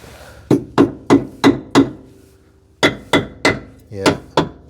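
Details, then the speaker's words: Citroën 2CV rear suspension arms, nearly 40 years old, hammer-tapped for corrosion: sharp ringing taps about three a second, clean and solid, no crunch; solid suspension arm. "oh that sounds nice and solid yeah I think they're certainly not making impact or going through so that's good"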